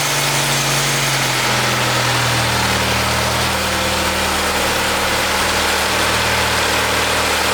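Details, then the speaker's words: Powerful 4-cylinder (about 230 hp) from a Copart car with broken oil pan, first start, running with no oil in the engine and smoking; harsh loud rattly idle with gritty metallic edge; engine running dry. "So we found the problem, and I'm not happy. Copart did not list undercarriage damage on the listing, and the oil pan is broken. No oil in the engine, and I'm sure people have been trying to crank it up and run it with no oil, so."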